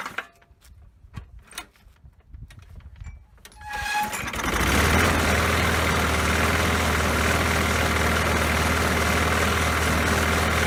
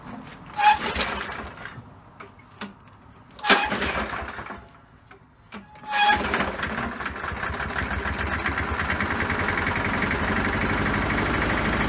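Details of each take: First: Poulan Pro lawn mower after fixing a missing throttle spring: a few rattles, then it catches and settles into a steady, even single-cylinder run with no misses or surging. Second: Poulan Pro mower that had been sitting, fitted with the wrong air box and no air filter: after a few pulls it runs ragged and uneven instead of idling cleanly. Cause: the throttle spring was left off.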